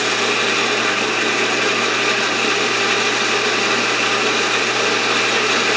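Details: Atlas horizontal milling machine reassembled after two years apart in a shed, with gib adjusted, rewired, belts refitted and oiled, not yet fastened down. Even motor and belt whir with a light rattle, which the owner plans to fix; otherwise runs smoothly.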